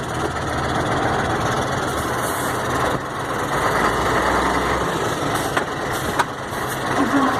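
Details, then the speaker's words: Mercedes-Benz 1634 diesel truck that had been noisy only when lifting off the throttle, after reassembling the differential: steady road noise with no whine or clunk on or off throttle; normal differential. "i a menino acabou o barulho acabou aquela barulheira acabou o barulho linda agora"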